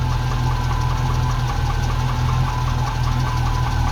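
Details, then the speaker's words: Ex-NZ Army V8 Land Rover, 24 V, after replacing military ignition with Mallory coil, optical unit, cap, rotor and ballast resistor, first test run: even steady smooth V8 idle, no stumbling, holds speed with choke off immediately. "That's the first time ever with this truck that I've been able to kill the choke straight away and it keeps running. So that's fantastic, massive improvement already."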